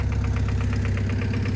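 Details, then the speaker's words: 1999 Honda Civic EX petrol engine idling after cheap cold air intake install, no catalytic converter: light steady knock about eight per second; owner says it still has a little rod knock. "And I'll just let's see what she does. She still has a little rod knock,"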